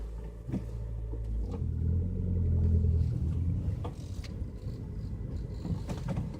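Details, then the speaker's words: Hyundai Elantra, cold start below 0 °C coolant, in neutral, slightly uphill, no brake: engine drone swells as the car stops, idle rising from about 900 to 1200–1500 rpm without throttle, TPS unchanged; lasts until warm, cause unknown. "It stops completely. I'm not touching even the brake, it's slightly uphill. And the engine speed goes up again."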